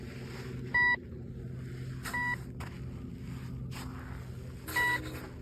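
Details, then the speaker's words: Temu metal detector (about $12), turn-on-and-go test at sensitivity 3: sharp high beeps in short bursts every second or two with nothing under the coil; false-signal chatter that goes quiet at sensitivity 2. "I'm getting all these beeps just on 3 sensitivity, but if I go down to 2, it's quiet."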